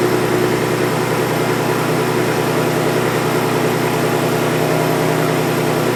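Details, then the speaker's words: 2023 Ford Raptor 3.5L twin-turbo EcoBoost with exhaust and factory diverter valve, before blow-off valve install: even steady low rumble, no ticks, knocks or whistles, no turbo whoosh on deceleration; normal running. "so as you can see it sounds good with the exhaust but there is no turbo action happening on that deceleration when you get off that throttle you want to hear that whoosh"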